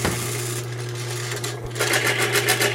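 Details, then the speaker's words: Lubricity test machine: steady motor hum, then fast rattling chatter as galled, bound-up sliding surfaces (bound at 40-45 lb pressure) stick and slip even after Lube 2000 spray is applied. "and it's already chattering because of all that sound from before."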